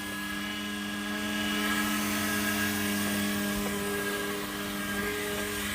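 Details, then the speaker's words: Volvo 740 petrol, unstarted for about 20 years, after fresh super unleaded added; owner unsure the fuel pump worked as relays often fail: steady faint electric hum with a thin whine, no pulsing or clatter; fuel pump running normally. "It's running us. I can hear pumps running now. Ah. Yeah, that the fuel pump's running or something's"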